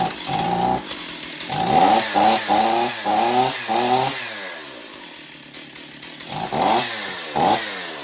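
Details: Long-unused Stihl 028 Wood Boss chainsaw, cracked pulse line found, filter off, thumb as choke: blips up and down repeatedly, revving cleanly and dropping back with no stumble; sound engine, weak, needs tuning and servicing.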